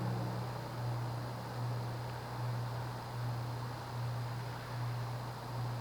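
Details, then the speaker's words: 1990s Quorum Gallery 60 60-inch ceiling fan, model 350605-33, 188x20mm motor, 11.5-degree blade pitch, on low speed: quiet steady hum swelling and fading about once a second, a slight cyclic flux buzz from the motor; motor hum. "It has a slight cyclic flux buzz. It's subtle though. I mean, if you had a quiet bedroom, you'd hear it, but it's not as absurdly loud as some other cases."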